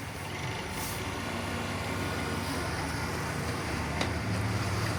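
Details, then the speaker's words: Old-model scooter, clutch cover opened after very loud noise on starting: rough, rattling drone from drive side with fast uneven chatter at idle; roller-seating clutch bell badly scored inside, bushing has heavy play. Worn CVT clutch bell and bushing. "हबको यो roller बस्ने कटोरी एकदमै भित्र दागी भैकेको छ। बोटी एकदम play भइसकेको छ। आवाज पनि नराम्रो आइराको थियो।"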